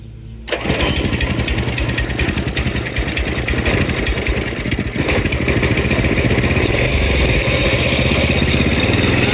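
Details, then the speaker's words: Go-kart single-cylinder engine on jack stand after fitting a new carburetor: fires instantly, settles into a steady even buzz that builds cleanly with throttle; runs smooth with no misses. "That sounds smooth."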